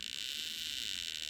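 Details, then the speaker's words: Mid-1960s Fuji Cherry 3-inch reel tape recorder, broken speed controller: fast, even, hissy pulsing buzz through the amplifier during playback, changing as the motor slows; owner suspects a capacitor, replacing it did not help much. "you can hear when you slow down the water but the noise changes"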